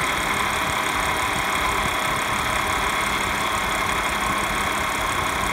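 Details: 2015 Audi S5 at idle with a fine metallic rattle over a faint high whine; source unclear.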